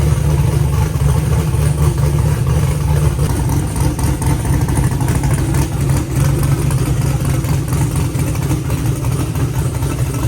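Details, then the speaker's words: Car running with fans on after topping up a used automatic transmission with two quarts of fluid; it had whined on its first test drive (pump suspected). Steady low drone and fan rush, no whine; owner hopes it was only low fluid. "It seems like it was just low on fluid. Um, I'm praying that's what it is cuz the noise went away. It's actually acting a lot more responsive."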